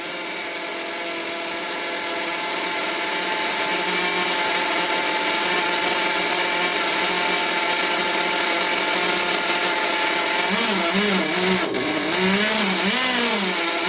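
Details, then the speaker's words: 1992 vintage Traxxas Nitro Hawk nitro RC stadium truck, revived after sitting: high, buzzy engine holds a steady scream, then pitch wobbles and surges unevenly, running rough; owner thinks it's running a little lean and notes she's not that great. "It's running a little bit lean, or the engine is not going to run properly, guys."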